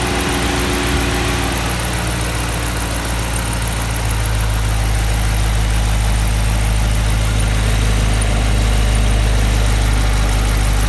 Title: 2017 Charger RT 5.7 makes a weird squeaky noise